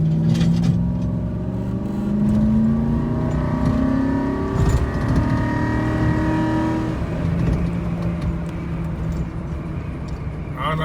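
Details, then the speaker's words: 2008 Ford F-150 with 320,000 miles, accelerating 0–40 mph before its first transmission fluid change: the engine note climbs for several seconds before dropping, so the automatic is holding gear too long. Shifts are harsh and delayed. "i don't know if y'all noticed the rpms were going up but it was not shifting and this truck does have over 300 000 miles"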